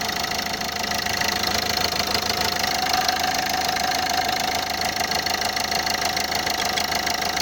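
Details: Renault Scenic 2 engine at idle: even idle with a sharp, regular knock about three times a second riding over it; owner unsure whether it is a leaking injector, source of the knock unknown.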